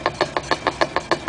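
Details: 1956 Chrysler New Yorker on stands, recorded at trunnion side and rear axle side: sharp, evenly spaced knocks about six or seven per second from the driveline, cause unclear.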